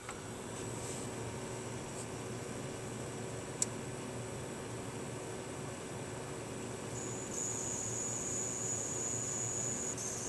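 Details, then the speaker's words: Gigabyte HD 7970 overclocked graphics card under gaming load (Battlefield/Crysis, about 80% activity): steady fan hiss with a faint thin high-pitched buzz, louder in Crysis; card otherwise fine, buzz source unclear. "it doesn't sound like it's meant to happen certainly anyway but yeah other than that though the card is absolutely fine other than the fact that it makes a little buzzing noise"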